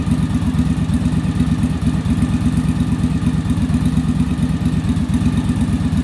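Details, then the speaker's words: Yamaha Virago V-twin after bench sync and a final on-engine carburettor sync with a manometer. An even, steady idle at about three beats a second with no hunting or stumble: carbs balanced, normal idle. "and so we should be in pretty good shape now our idle's a lot smoother and then our acceleration i'll be a lot better because the carburetors aren't fighting each other"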